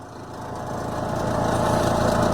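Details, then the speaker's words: Twin-tub washing machine spin motor running after rewiring, with the capacitor between the red and blue wires and white to line. The spin timer is activated and the motor hums, building steadily as the drum spins up, smooth with no knocking or scraping; healthy. "activamos el timer de centrifugado a ver qué sucede ahí escuchamos el timer escuchamos el motor también"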